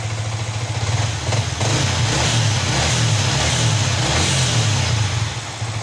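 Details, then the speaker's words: Yamaha R15 V3, engine running on an external fuel supply with the fuel pump bypassed and no DTC: smooth rises and falls through several blips, clean exhaust, no misfire or knock; the fault is isolated to the fuel pump. "Oke ya untuk motor ini menyala normal tapi tidak saya Pakaikan P PAM saya pakai bantuan infus dan tidak terjadi DTC"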